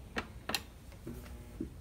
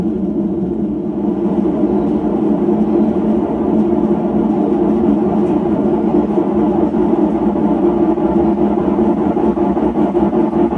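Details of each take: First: Hotpoint (GE) washer in spin-mode child-safety routine, not connected to water: two crisp clicks as the inlet valves open for two sprays, a normal sound; this machine's roaring spin is blamed on compromised bearings. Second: Hotpoint (lower-end GE-made) washer: a slight roar during the slow spin, growing louder as the drum spins up to speed. Worn drum/tub bearings; the repair choice is bearings versus a new gearcase.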